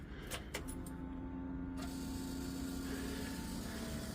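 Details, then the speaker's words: Suzuki Samurai new inline fuel pump, wires soldered with solder heat-shrink connector, key on: a couple of clicks then a steady low electric hum as the pump primes normally and pushes fuel up, no leaks. "Okay, it's humming. And let's see, it's pushing fuel up."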